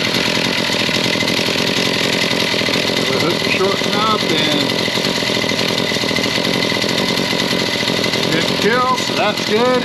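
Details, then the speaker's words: Stihl MS 170C chainsaw running after start with choke half off; two-stroke buzz holds a fairly steady idle with no surging or dying, a good idle. "got a good idle to it. I think she's going to be all right."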